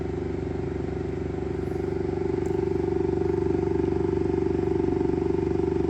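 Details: Saturn Ultra 4 16K resin printer after starting a print: motor hum with steady knock about four times a second as the build platform keeps rising before resetting and printing.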